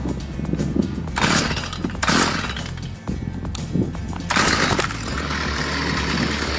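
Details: Two-stroke Stihl trimmer that idled but would not rev, after its spark arrestor screen was cleaned of carbon: blips up cleanly several times, then holds a strong, steady high rev, now normal.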